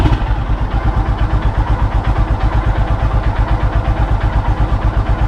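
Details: Royal Enfield Himalayan single idling after stator replacement and battery reconnected: a steady, even thump with a regular beat and no misses or clatter; ticking over cleanly and healthy.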